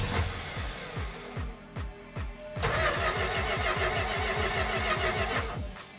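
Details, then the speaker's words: 1967 Dodge Dart after a 2-barrel to 4-barrel carb conversion, electric choke unhooked and choked by hand. The starter churns steadily and the engine half catches, stumbling; the idle mixture was too lean, and turning the screws out to 2.5 turns helped. "it is at this point that it begins to dawn on me that I have this exactly backwards I am not getting enough fuel"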